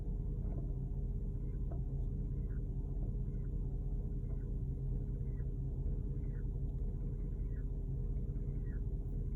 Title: 2010 Porsche Cayenne GTS strange chirping noise